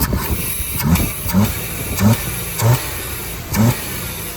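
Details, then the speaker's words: 1992 Chevy S10 Blazer that bogged when given gas off idle, worst cold; after unplugging, adjusting and refitting the IAC, engine blips up crisply, revving cleanly without stumble; later blamed on the throttle position sensor. "And so I threaded it back in and it still ran good. And I plugged it back in and it still runs good."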